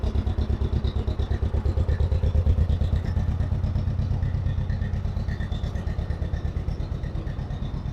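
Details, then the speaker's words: 1958 John Deere 420W two-cylinder, unstarted for about a year and jump-started from a Super Duty truck: deep, even putt-putt of about three beats a second with a steady rhythm. Normal idle after storage. "That was relatively pain-free. Swear I didn't start that tractor for like a year."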